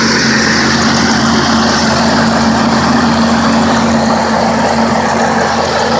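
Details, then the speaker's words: Courier after replacing two leaking exhaust manifold gaskets and all vacuum lines: steady, even engine note, no exhaust puffing or ticking, faint thin tone on top (owner says a chirp remains somewhere); much quieter, normal running. "So, much quieter, absolutely wonderful performance."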